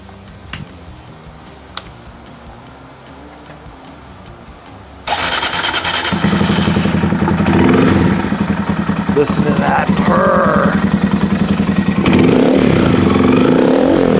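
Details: Custom bobber built from a brand-new 2022 Honda Monkey single fires up at once after a quiet pause and settles into a quick, even thump about three to four times a second: a healthy idle.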